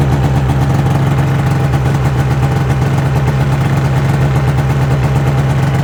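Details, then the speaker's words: 2005 Ski-Doo MX-Z Renegade 600 H.O. SDI two-stroke, cold start after an overnight cold soak, following fuel pump, pressure regulator and strainer replacement for hard starting. It holds a smooth, even raised warm-up idle with no stumbles; normal high warm-up idle. "so curious to see how long here it takes for it idles down once it gets up into open loop"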